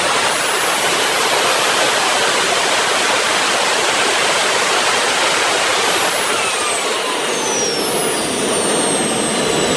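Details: RT130 model jet turbine after rebuild at full power: loud steady jet roar with a thin high squeal that later slides down; compressor wheel touches the front housing, which owner thinks prevents reaching the set 120,000 rpm.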